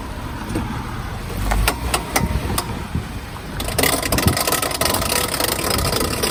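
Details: Lifted Jeep JK reversing in four-wheel drive, heard through the open window: sharp uneven clicks over a low idle, then rougher rolling noise; worn front driveshaft CV joint with a broken boot, silent in 2WD; replaced by an Adams 1350 driveshaft.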